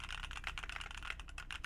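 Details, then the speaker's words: Heavy Phoenix45 keyboard, red aluminum case over brass weight: quick even clacks with a dull solid thock and no metallic ringing, much better; slight ping possibly from desk. Normal typing sound. "But it sounds much, much better, and it looks awesome. It's a good build."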